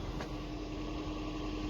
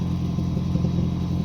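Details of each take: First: 2007 Toyota Prius Mk2 1.5 VVTi hybrid, idle forced by running electrical loads on a freezing night, after a simple exhaust blow fix: steady, quiet, even idle with no exhaust blowing; normal idle. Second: 2007 Toyota Prius Mk2 1.5 VVTi hybrid, recently bought used, idling on jack: steady low rumble with uneven puffing chuff from exhaust blowing at a rear joint; to be sealed with exhaust gum paste and reassembled.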